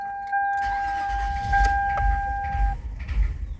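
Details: 2005 Toyota Highlander parked about a month, rat droppings found, replacement battery fitted; warning chime, then even cranking about twice a second but no start, no codes yet.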